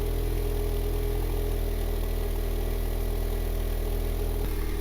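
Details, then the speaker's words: Honda Civic R18 with eBay turbo kit, rough base tune via Hondata FlashPro, cold start from the rear: steady even idle, deep exhaust with extra airflow, slightly raised cold speed; healthy, 2% fuel added while cold. "definitely hear more airflow coming out from that exhaust even that idle"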